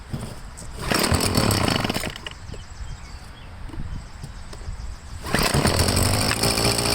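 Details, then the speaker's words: Two-stroke leaf blower restarted on choke with fresh gas and Seafoam: buzz surges, sags to a ragged lower note, climbs again, hesitating to throttle up; owner suspects carburetor needing cleaning. "Yeah, okay. So it doesn't really want to throttle up."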